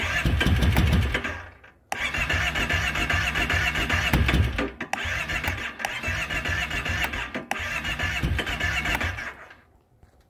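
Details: 2012 Kawasaki Brute 650i, no-start, cranking with choke closed then choke open. Repeated bursts of steady starter cranking about four beats a second; engine never catches: crank no start.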